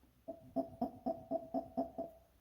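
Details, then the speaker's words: Rebuilt mechanical fuel pump for a Ford F-1 straight six: eight crisp, evenly timed pumping strokes with a short squeaky note. This sound indicates a good fuel pump, normal operation. "if it makes that sound then you got a good fuel pump"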